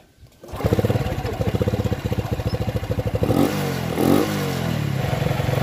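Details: Honda Revo FI rebuilt after a clogged oil strainer starved oil circulation, with new cylinder block and connecting rod and lapped valves: even cranking pulses for about three seconds, then it catches and settles into a smooth idle with light blips; normal idle.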